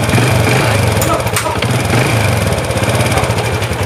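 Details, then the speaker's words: Honda Wave 100 at idle after being reassembled: small single with an even, quick putter, and the ticking and knocking are gone; runs quietly. "Đấy, anh em thấy không, nghe rất là im rồi nhá."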